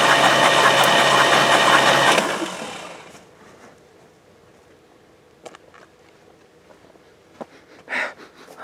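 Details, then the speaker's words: 1978 GMC Caballero that sat a long time, cranking without starting while spark is present and oil pressure is in question: steady starter cranking about three turns a second for two seconds, with no rod knock heard. "But from what I'm hearing cranking it, I don't hear a rod knock."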